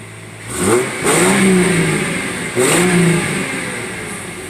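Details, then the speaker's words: 1997 Ford Mustang SN95 V6 after replacing a broken spark plug that caused misfire: two clean throttle blips then an even steady idle, lower than before; check engine light still on. "Definitely isn't idling as high as it was. I don't think that's a problem."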